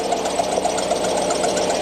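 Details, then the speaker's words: 2013 Ford F150 at idle: wavering high gnarly squeal and chirp, worsening over time; water pump pulley loose, water pump bearing suspected going bad, first suspected idler pulley; water pump to be replaced. "Pretty gnarly sounding, Okay. So I started poking and prodding in here. I think it's that bearing on that water pump is going bad on me."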